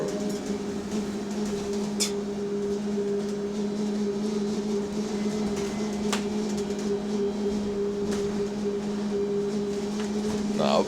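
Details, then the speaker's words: Go Ahead London electric bus SEL5 on route B16, heard from passenger cabin: constant low hum with droning tone an octave above; unexplained abnormal whine, passenger fears fault. Cause suspected, not confirmed. "No, I might have to get off cuz the [ __ ] is that noise? I don't want no electric bus blowing up on me, bro."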